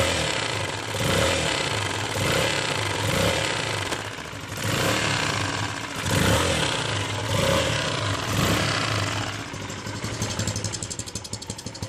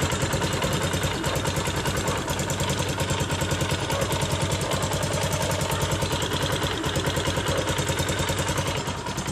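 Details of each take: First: CRZ 150 SM single-cylinder, 550 km, noise present since new: blipped revs with loose, irregular tapping underneath; cause was a missing spring retaining the camshaft gear shaft. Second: CRZ 150 SM motorcycle bought at 550 km, engine noise fixed by fitting a missing spring securing the camshaft gear shaft: steady single-cylinder idle with even firing pulses around three per second and no odd knocks; sounds healthy.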